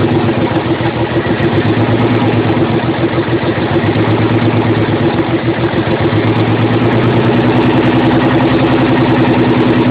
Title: 300zx running on 4-5 cylinders due to a bad injectors and old clips